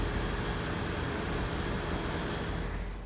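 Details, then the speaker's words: 2005 Acura MDX that had a whining power steering pump, after topping up with another bottle of fluid: wheel turned back and forth with only soft engine hum, no whine or groan; fluid was the cause, steering now quiet. "Turn the wheel back and forth, and no noise, and we good."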